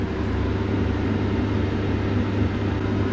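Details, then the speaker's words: Victron Phoenix inverter feeding a Victron Multiplus in series while a portable air conditioner runs. Deep steady hum with a low drone swelling under the A/C load; abnormal humming, and the owner wonders whether too much inductive load is the cause. "and again we can hear an abnormal Hamming of the Phoenix inverter"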